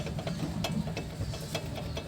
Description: May maingay sa harapan ng sasakyan pag nalulubak? Check caliper pin muna tayo baka naman wala ng grease kaya may metal to metal contact na kaya yun ang maingay.